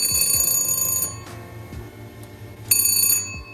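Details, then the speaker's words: DHC-8-300 (Dash 8) engine fire detection test: a rapid high ringing bell sounds for about a second, stops, then rings again briefly. Fire warning bell working on test. "Vous allez retrouver également le Fire Warning Bell sur le Dash 300. Le Dash 100, il n'y a pas de bell, vous ne l'entendrez pas."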